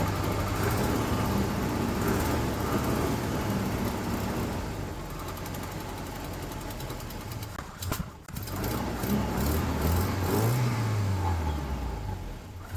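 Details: Volvo 240 petrol engine with carburetor, running after engine replacement, new spark plugs and distributor adjustment following earlier tappety or pinging sound: steady low rumble with a brief dip before settling back; normal engine running.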